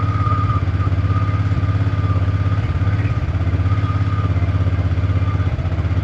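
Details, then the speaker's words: Cheap used fuel-injected motorcycle after FI fault codes cleared and fuel system primed, running after sitting a long time, injector still needing cleaning; even low thumping pulse about 200 beats a minute with faint steady tone: smooth normal idle. "all right so check engine lights are all off however the fuel injector need to be cleaned but here it is running after God knows how long"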